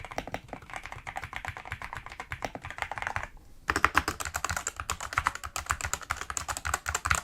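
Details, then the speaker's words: Fast typing on a GK75 mechanical keyboard, compared with the MSI Forge GK600 TKL, where each keystroke is followed by a faint metallic ping from the switch springs. "you can definitely hear there's a lot of pinging going on in here."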